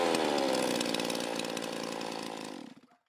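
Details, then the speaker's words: Stihl MS361 chainsaw run outdoors after oil pump (oiler) replacement: a high, steady, clean two-stroke scream that winds down smoothly to a stop; the saw runs normally, described as powerful and fast. "I sure hope so because I really like this build um it's powerful it's fast"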